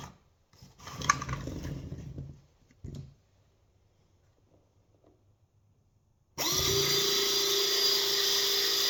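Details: Burndy inline hydraulic crimp press after topping off low oil (it was not crimping though the motor ran), test run before reassembly: motor starts and the pump holds a steady, even whir. Normal hydraulic crimper operation.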